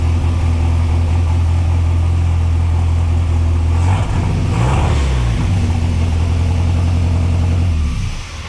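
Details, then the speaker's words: Mercruiser 140 boat engine swapped into a Chevy S10, running after fuel pump replacement: steady low drone with a brief dip and stumble; fuel pressure still only 11 psi, old regulator suspected bad, diaphragm possibly failed. "Okay, it's still 11 pounds. That's not good. Means the old fuel pressure regulator's probably pooched."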